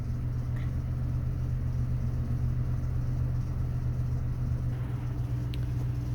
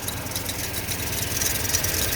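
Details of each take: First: 2000 Toyota Tundra 4.7 V8 automatic at idle after fixing crossed coil wires: smooth steady rumble, no shake; flashing check engine light stopped, cylinders 6 and 8 no longer misfiring; coil connector broken but working, coil to be replaced anyway. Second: 2000 Toyota Tundra 4.7 V8 automatic, engine reportedly replaced, idling with an uneven stumbling pulse, flashing check engine light, shakes more when driving; misfire traced to crossed ignition coil wires and a damaged coil connector.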